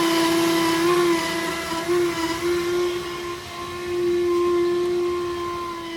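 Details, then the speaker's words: Toyota Corolla Altis single radiator/condenser cooling fan motor, heard in engine bay when AC switched on: very loud jet-like droning whine around 330 Hz with overtones; worn fan motor bushings. "Jadi pada saat AC kita hidupkan, kan ada motor fan yang berputar. Itu motor fan yang di kipas utama ya, radiator. Nah itu yang jadi masalah itu ya, ini yang bermasalah ya teman-teman."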